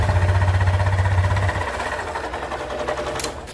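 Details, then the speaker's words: Honda Beat KZL scooter, 2020–2021, about 24,400 km, possibly from late oil changes: rough rattly running with an even clatter about four times a second from the middle and front of the engine; suspected camshaft bearing, cam chain or crankshaft bearing wear. "banyak kemungkinan kalau masalah seperti ini bisa dari laher noken as bisa dari rantai keteng bisa dari lahar e kruk as"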